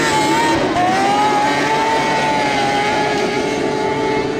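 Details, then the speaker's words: Snowmobile with 700 two-stroke engine (XLT Indie special) on test run in snow: high, sustained scream holding nearly flat in pitch without dropping under load, little traction, spinning at insane RPM; over-revving, clutching needs setting up. "unfortunately not much traction yep saw that and it's still turning insane amount of RPM"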